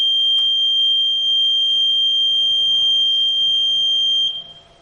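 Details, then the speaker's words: Electronic voting machine ballot unit during mock poll demonstration: pressing a candidate's blue button gives one steady high-pitched beep holding about four seconds then cutting off cleanly, confirming the vote was recorded; control unit busy lamp then goes off. "बालक rate का नीला button दबाते हुए एक लंबी बप की आवाज सुने देगी आज ये है की वोट दाल गया है"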